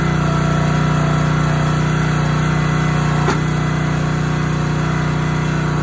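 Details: Honda GX160 on a SplitFire wood splitter, after carb clean and oil change for bogging and stalling when splitting; steady even drone takes a brief load without bogging and settles back smoothly, normal running under load.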